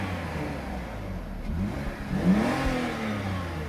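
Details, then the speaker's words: 2002 BMW 325Ci E46 inline six, 201,652 miles, start-up and rev: quiet smooth idle then clean even rev, no knocks, rattles or misses; sounds healthy. "I don't know if you could hear that when I started it up. It sounded just fine."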